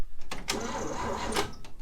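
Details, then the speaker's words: 1960 Chevrolet step van, first crank attempts using starter fluid. The starter cranks steadily but the engine never fires; it is still getting no spark. Cranks but no start. "nothing like didn't really have high hopes for it um something else is going on it's still not getting any sort of spark so i don't know"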